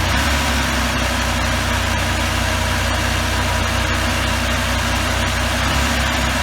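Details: 1984 Pontiac Trans Am Firebird V8, 5-speed, barn find, hard cold start, first start in years: deep, steady burble at fast cold idle with slightly uneven pulses.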